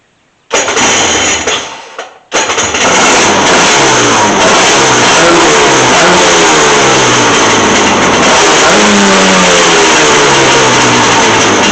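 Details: Polaris 700 first start after top-end and carburetor rebuild: engine cranks, catches after a brief stumble, then settles into a steady run with rising and falling revs; a healthy start.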